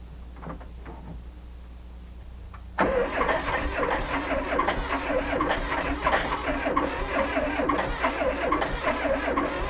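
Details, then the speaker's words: VW Sterling kit car, 12V engine, slow labouring cranking about three turns per second, not starting; not the battery, a different starter was fitted; cause was a 6V transmission missing the 12V starter bushing, so the starter dragged. "it was turning over too slow I think so I put different batteries in and tried charging it and it wasn't the the it wasn't a battery problem"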